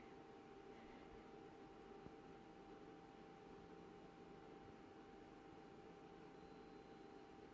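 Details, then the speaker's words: BenQ W2700 projector after start-up, fans on: quiet steady airflow hiss with faint constant tone, no rattles or pulsing. Normal fan noise. "You'll hear the fans coming on, and then about 30-40 seconds later you'll hear something else coming on much louder than the fans, and that noise just stays on as long as the projector is on. Okay. That's the fan noise. I don't have any issues with that, it's fine."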